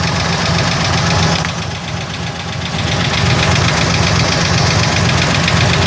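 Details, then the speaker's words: 1980 Chevy at idle, recorded from underneath: steady idle with a regular knock-like click about four per second; owner suspects the torque converter, which appears to wobble badly; an oil change did not help; source unconfirmed. "a clicking noise coming from what I think is the torque converter"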